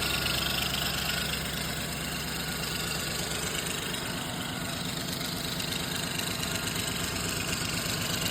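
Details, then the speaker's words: Engine at idle with a suspected exhaust leak and belt noise nearby, rod knock questioned: uneven knocking about three a second as RPMs drop; cause unconfirmed. "RPMs are dropping."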